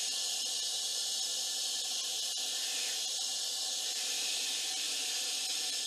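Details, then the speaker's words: 2013 Dykon Express scooter after sitting abandoned: steady unbroken high hiss with no engine running, air escaping while inflating a tire that is off the bead, with dirt in the rim; owner believes the flat tire is why it stopped being ridden. "first thing I want to do is get this tire to air up it's off the bead"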